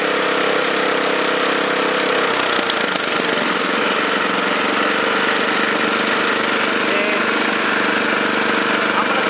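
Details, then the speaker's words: Honda FR600 5.5 hp tiller before adjusting the throttle limit screw: small single-cylinder holding a fast, high-pitched steady run; owner thinks it revs too high, limit screw then tightened. "i'm going to go ahead and and tighten that up a little bit so it doesn't rev so high because i think it revs way too high and i don't see a need for it to run that fast"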